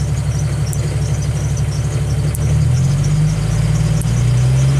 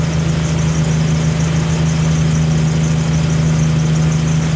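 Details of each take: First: Jeep Wrangler YJ with a newly installed hand throttle cable: idle rises to a steady drone, then sags back toward idle because the lever doesn't hold RPM; fixed by snugging the lever's adjustment screw. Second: Jeep Wrangler YJ engine held by the newly installed, adjusted hand throttle with hands off: steady, even raised speed with a constant low drone, no surging or hunting; normal steady raised idle.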